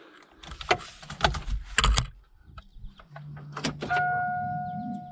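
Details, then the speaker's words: 1988 Ford Mustang T-top Foxbody 5.0 that sat a long time, on old siphoned gas, at key-on: a few clunks, then a steady low electric hum holds as the fuel pump primes normally; the car then started. "let's see if we can hear the pump prime now"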